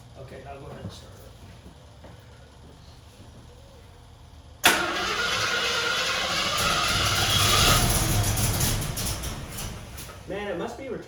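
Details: 1974 AMC Javelin, normally starting immediately, cranked using the gas pedal: quiet cranking then it catches abruptly and roars to a high, uneven fast idle; excess fuel getting past the carburetor venturis into the intake.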